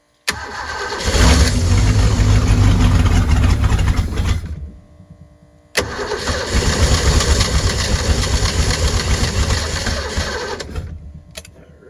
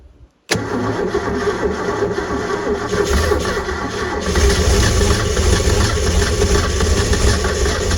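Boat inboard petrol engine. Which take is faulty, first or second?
first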